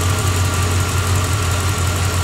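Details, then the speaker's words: 1986 Corvette L98 TPI 5.7L small-block V8 idling steady and even, smooth low burble, no misses, just restarted after cleaning a clogged EGR port on the plenum (EGR and knock sensor codes, failing emissions); normal idle. "okay she's running we got her back together like it's close to be so far"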